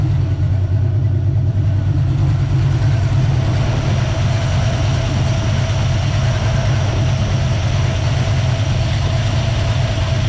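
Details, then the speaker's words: Warmed-up small-block Ford 306 with GT40P heads, Anderson N41 cam and Holley double pumper. The idle mixture screws are turned out about half a turn, so the AFR goes from 12–13 to a steady 11.5: low V8 idle that softens and drops; rich idle mixture. "you can hear the idle come down too so now you can see it's consistently staying in the 11's so you can see it's consistently staying at 11 and a half so we just richened it up"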